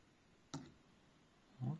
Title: Стук при запуске вентилятора на Asus VivoBook S 16X OLED